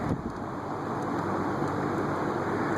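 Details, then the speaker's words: Air King 20" box fan on low, about 0.47 A, bearings newly freed with WD-40 but not yet cleaned: soft steady whoosh with no ticking, squeal or grinding; normal quiet low-speed running. "stir it on low 0.47 it's a nice quiet low speed three nine"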